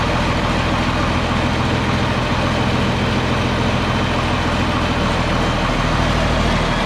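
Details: John Deere 4640 tractor diesel idling after being split for a week for a 2-speed transmission transplant; deep steady idle with an even beat, no knocking or misses: normal idle.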